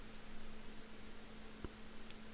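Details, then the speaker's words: AMD Ryzen 5 5600X at 100% load on stock cooler (aluminium block, cheap fan): constant low hum with faint airy hiss, no pitch change; fan running flat out, loud droning cooler fan hum. "with default cooler which is just an aluminum block and a really cheap fan i don't recommend it it's pretty annoying sounds like humming"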